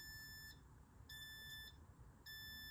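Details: Repeated high beeps, about half a second on and off, from a KAIWEETS KVBF01 brake fluid tester pen dipped in fluid of a roughly 6-year-old vehicle: moisture warning near 2% water.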